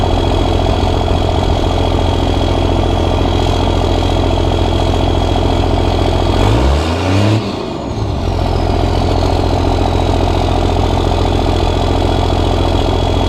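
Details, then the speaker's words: Cummins diesel, first start after five upgrades including injectors and hot rod VP44, overflow valve tightened: steady idle clatter with one throttle blip rising and settling cleanly, some black smoke; sounds good. "all right so it sounds really good"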